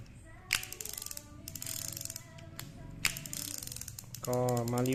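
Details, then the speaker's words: Used Ryobi Alert SS-500 (BB-95) round baitcasting reel, made in Japan: clicks quickly as the handle turns forward, then smooth whir; reverse works normally, normal operation. "ที่เหน็บสายหมุนเดินหน้ามีเสียงแบบนี้ครับก็หมุนลื่นเลยนะหันกลับทำงานปกตินะครับ"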